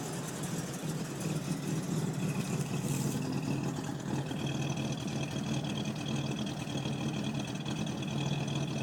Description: Cold start 4.1L carbed Buick Electra it sat for 20 years in a garage I've been workin on it for a while